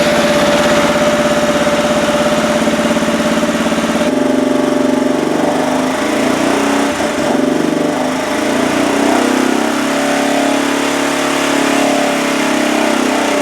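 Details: 2007 Arctic Cat ATV 400 after 1.5 years unused, carburetor cleaned and new spark plug fitted: single-cylinder catches and settles into a steady, even run with no misses; engine healthy.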